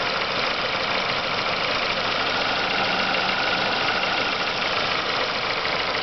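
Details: Renault Megane 2 phase 2: fast, uneven knock ticking through a steady idle with hiss over it; engine knocking at idle, cause unclear.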